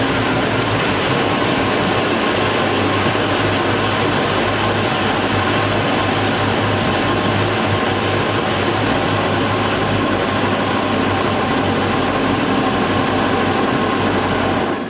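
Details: 2010 Bayliner 255 Cruiser, 5-litre V8 MPI, 260 hp, multi-point injection, heard in the engine bay: steady, even idle, a constant low hum with strong hiss over it and no knocks, then shutdown; normal idle.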